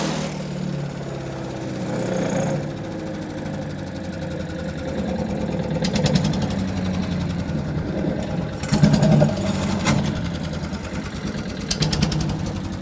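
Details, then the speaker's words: Wood chipper's small petrol engine after its loose tank was bolted on tight: steady, fairly even run with a few brief rattly bursts; seems to be running normally. "Let's hear it run. Hopefully it'll rattle a lot less now that that tank's bolted on tight."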